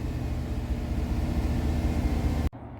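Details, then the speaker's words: Car after replacing the idle air control valve, check engine light off: even low rumble with steady hum, no stumbling or hunting before shutdown; idle sounds much better than before the repair. "all right the check engine light is off so that's a good sign wow that sounds way better than before"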